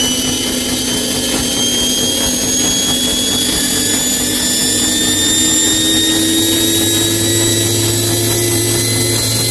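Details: Bosch Maxx 6 washing machine after motor bearing replacement, drum bearings still good: loud steady roar with whistling tones rising through the high-speed spin; drum noise at high speed, which the owner believes means the drum is broken.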